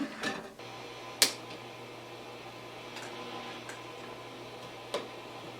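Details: 1968 Silverface Fender Bassman AB165 (modded) after replacing the grid stopper and screen resistors with carbon film to fix a noise floor problem: only a faint steady hum and handling clicks, no hiss, crackle or popping. The noise seems fixed.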